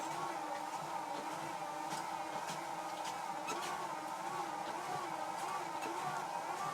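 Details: Treadmill with a 10 amp fuse, walking in the middle of the belt at about 3.5 speed: steady motor whine with wavering hum and faint ticks; motor audibly struggling against drag from worn belt and deck, overloading the motor.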